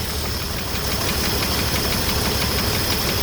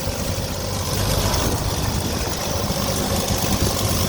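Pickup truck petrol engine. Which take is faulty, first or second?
first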